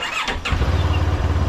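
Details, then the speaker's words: 700MT big-twin motorcycle in neutral, after a fix for the TFT screen cowl vibration noise: brief starter whirr, then it catches and settles into an even, loping idle with no rattle or buzz. Normal idle, cowl feels firmer. "so um just take it take it out into neutral don't you love the sound of these big twins they're very much like a V"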